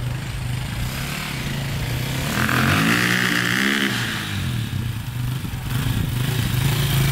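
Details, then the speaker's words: 2002 KTM 450/400 EXC dirt bike on test ride after reconnecting taped-off wires: engine rises on throttle, then hesitates and breaks up unevenly instead of climbing cleanly; the fix did not help, cause unknown. "it's still doing that you could hear it just like you give a throttle it hesitates goes a little bit and then kind of breaks up so yeah it's not sounding too good"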